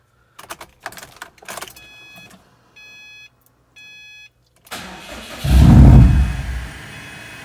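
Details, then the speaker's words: Subaru STI with freshly assembled EJ257 engine just installed, battery newly fitted after being disconnected: keys and chimes, labored cranking that catches and surges loudly before settling. Owner expected several cranks because Subarus dislike starting after battery disconnection. "it'll probably take a few times cranking if you know anything about subaru's they don't like to start after the battery's been disconnected"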